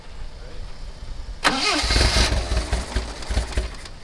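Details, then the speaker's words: 1979 Lotus Esprit, carbureted: a brief crank, then it catches for a couple of seconds, stumbles unevenly and fades. There is fuel pressure, but the glass fuel filter shows air bubbles and little flow. Fuel starvation is suspected, not confirmed. "no we have fuel pressure what's that is that filter empty that glass fuel filter yeah i mean i'm seeing air bubbles but i'm not seeing a lot of flow"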